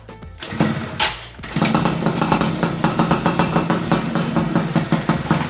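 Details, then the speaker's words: Yamaha F1ZR two-stroke after engine rebuild, unported, stock, with non-original exhaust: a few kicks then a crisp, even idle with regular pops, no knocks; sounds like stock. "untuk suaranya sudah harus bagi teman-teman udah seperti standar cuma knalpot sini nggak ada yang orinya jadi tetep pake knalpot yang ini"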